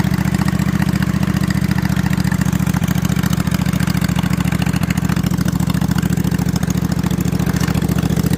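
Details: Freshly assembled snow mower engine with slip-on mufflers over the exhaust tubes, before a planned 2-into-1 3-inch pipe; loud, rapid, even exhaust pulses at steady idle, no misses; normal running.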